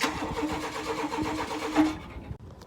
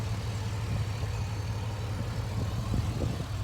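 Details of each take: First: Chevy K1500 truck that sat for a few years, cranked on battery: a steady rapid churn for about two seconds without catching. No fuel is reaching the engine. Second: Chevy K1500 truck that sat for years, running after fuel system work with the fuel tank propped on pallets: low, steady rumble with even firing and no misses or knocks; engine idling normally.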